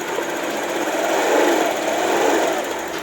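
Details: Honda Vario eSP scooter that hesitates and cuts out at low rpm, still faulty after injector, TPS and ECU swaps: it revs unevenly, surging and stumbling at light throttle; misfire.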